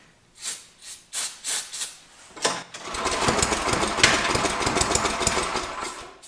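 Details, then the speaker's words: Free Troy-Bilt/MTD snowblower with Tecumseh engine, running with no air filter: several starter pulls, then catches with a rapid, uneven low-speed putter; throttle linkage stuck, not moving, owner suspects the governor link. "so I think I know what the problem is if you look at this this is the throttle if you can see that's not doing a dang thing there's nothing moving"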